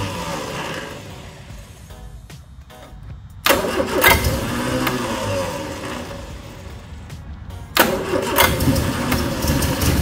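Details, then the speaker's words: 1979 Triumph Spitfire sitting since about 2005, first start after greasing starter and cleaning engine ground, choke pulled: starter churns briefly, engine catches and settles to steady idle with a couple of blips; normal start and idle. "cannot believe that thing fired up that easy hope the wife's happy see you later"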